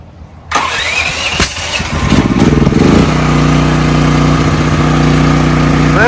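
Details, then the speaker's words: Brand-new DuroMax XP13000EH dual-fuel generator on propane with a fresh NGK spark plug replacing the stock one: cranks a couple of seconds with one sharp pop, then catches and settles to steady idle; a starting backfire. "bit of a backfire, but start it right up."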